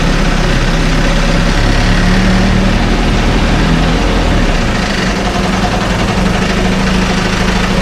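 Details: 1968 Evinrude Fastwin two-stroke outboard, first run, just put in a test tank with fuel, no work done: steady low even idle burble, no knocks or misses; runs like a top, healthy.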